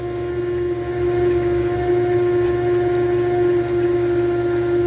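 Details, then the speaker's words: Quiet, steady mid-pitched hum with no surging or rattle as a new return-style fuel system's pump builds pressure (about six pounds) at the rear tank, carburetor line plugged; normal fuel pump operation. "oh that sure does build up get gas up here fast that's the first time I've been trying I'm actually pretty quiet yeah I won't sound like a fish aquarium"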